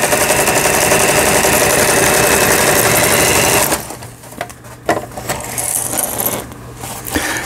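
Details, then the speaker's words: Elna EL2000 sewing machine after lengthy repair of seized feed shaft unit, feed dogs and misaligned lower-shaft hook: steady even stitching whir, about four stitches a second, no knocks or catches; all stitch functions sewing normally. "보시는 것처럼 각종 기능들 정상적으로 박음질이 되고 나오고 있습니다."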